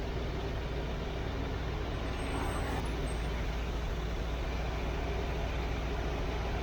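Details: Chevy 350 V8 in a C3 Corvette after replacement with the correct-numbered Quadrajet carburetor, cold before warm-up, about 14 inHg vacuum: deep, even burble at steady idle with no misses, taps or hunting; healthy idle.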